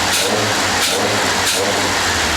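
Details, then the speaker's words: Volvo P1800 engine, rebuilt and just fired up before car assembly: sharp clean revs rising and falling in quick throttle blips, crisp and even with no knocks or misses; normal throttle blip. "So, sounding rather sweet."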